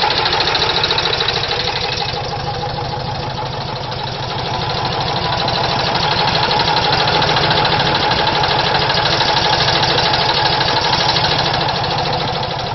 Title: VW Type 4 engine knock